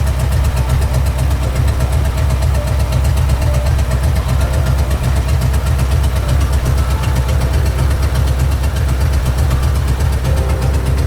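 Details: Previously knocking Ford 4.6 two-valve V8 after repair with used junkyard crank and bearings and reused bolts, no radiator, long-tube headers: heavy steady burble with even pulses, no knock or tick; normal idle.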